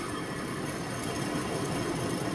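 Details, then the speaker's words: 2006 Volkswagen Jetta TDI right rear wheel bearing, wheel turned by hand with noticeable play; steady, gritty rumble and grinding from the badly worn bearing. "there's a fair bit of play in that and then there's this doesn't sound very good does it is that bearing again"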